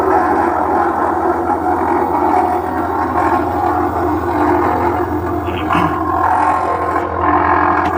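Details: LG top-load washing machine running: loud droning, moaning rumble with occasional clatter as the drum turns; abnormal washer noise, cause unclear.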